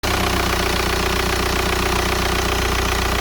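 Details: VW Golf 4 1.9 TDI 110 hp, loud diesel clatter with uneven lumpy shaking as revs fall after a blip, also at stops like traffic lights; owner unsure whether injector or flywheel is the cause.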